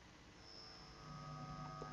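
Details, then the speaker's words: Caliber Venom CA160V4 car amplifier on the bench: a faint steady hum with a thin high whine and no signal playing; ground-loop noise because one RCA jack's ground is not connected to ground. "Vous entendez ce parasite ? Voilà. C'est parce qu'en fait sur les masses RCA, il y a les trois, celles-là, celle-ci et celle du dessous qui sont bien à la masse."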